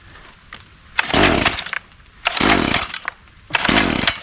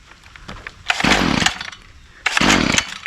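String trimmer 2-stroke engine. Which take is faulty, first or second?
first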